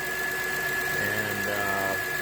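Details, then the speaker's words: 2012 Acura TL technology package, 102,000 miles, idling, heard at the engine front (louder inside the car): steady thin high whine above the idle, unwavering; alternator bearing going bad, alternator to be replaced. "But that's the alternator. That's the bearing that usually goes bad, and it starts making that kind of weird whiny noise."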